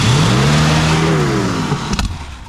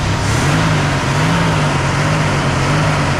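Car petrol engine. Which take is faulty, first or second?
first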